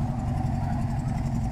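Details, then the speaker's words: 2012 Toyota Corolla idling rough with an uneven low exhaust chug and dropped pulses, a dead misfire suspected on cylinder four with no codes stored; exhaust smells of heavy fuel, like rotten eggs, from excess fuel. "that I don't know if you could hear it I hope you can but that is one nasty mess and it smells like fuel smells like heavy fuel"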